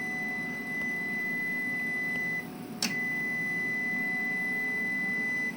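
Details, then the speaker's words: New EASUN iSolar SMV 8kW inverter, grid wired but off: output drops to 40 Hz, a steady beep cuts out, a relay clicks and output chops every few seconds; suspected to be syncing to itself and switching on and off. "I think it's synchronizing to itself and constantly switching on and off."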